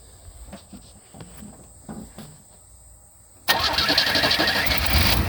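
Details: 1988 Chevy S10 after a fuel filter change, with the battery reconnected and the fuel pump primed: several seconds of slow, even cranking, then the engine catches and settles into a steady run with no leaks; it starts normally.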